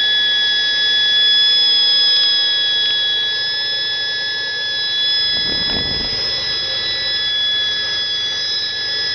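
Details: 1971 Chevy Nova, 260 inline-6 with Offenhauser intake, Holley 390 carb and Stovebolt cast split headers, at idle: steady high-pitched whistle from a vacuum leak the owner is trying to fix.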